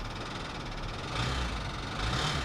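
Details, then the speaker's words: Flood-damaged Kia at auction, water ingested into engine, idling: irregular metallic knocking over the rumble, louder in bursts; suspected timing chain or valve damage, not confirmed. "that sounds like timing chain I think that's timing chain related yeah dang that sucks"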